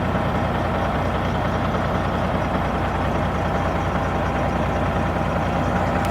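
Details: Kenworth W900 Cat diesel engine idling after reassembly. A deep, steady diesel rumble with an even beat and no knocks or misses; it sounds good.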